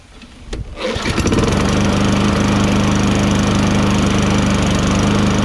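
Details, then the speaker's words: Toro Recycler 22-inch self-propelled mower, 6.5 HP Tecumseh, after carburetor cleaning and run without the air filter: a couple of pulls and it catches within a second, then runs steady and even with no misfire or surging. This is a normal start and idle. "are you amazed that this thing starts up just fine because i'm amazed"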